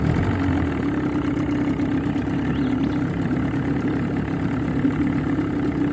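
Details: Johnson 20 outboard running in a water bucket on the old fuel system after a new water pump, head gasket and water cover gasket: a steady, even idle with a constant low drone and no knocking or misses. Normal idle.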